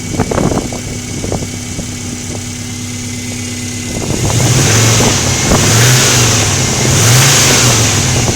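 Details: Subaru engine ticking at 2000–3000 rpm: light ticks about two or three a second over idle, buried as revs rise; source not pinned down.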